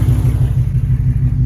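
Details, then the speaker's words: Mustang GT 5.0 with typewriter valvetrain tick, driving past walls on regular pump gas: deep steady exhaust rumble, no ticking echo off the walls; drives fine, owner suspects the oil caused the earlier rough running. "I heard no tick."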